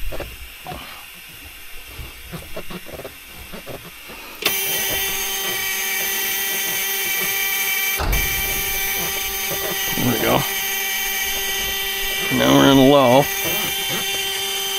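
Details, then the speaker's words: 1980 Peterbilt 359 EXHD, Caterpillar 3408, engine shut off after failing to build air pressure: steady high hiss starts abruptly and holds level, compressed air escaping; exact leak not yet located. "yeah dude this thing ain't going to build no air Let's uh let me fire it up let me shut it off and we'll see where the air pressure leaks are or air leaks are"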